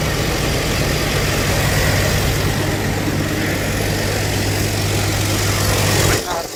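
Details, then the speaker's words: 1982 Ford Granada at low idle once the choke was forced; steady, even, smooth hum with no stumbles until shut off; runs good despite a non-working choke and a leaking fuel filter fitting. "Choke sure is taking its sweet time. Alright, I need to give this a couple minutes. Alright, so we're at low idle now."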